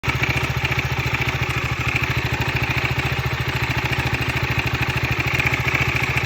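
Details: 2015 KTM 125 Duke, 26,000 km, at idle: loud, dull, even clatter about three and a half beats a second; replacing the timing chain tensioner cured the rattle.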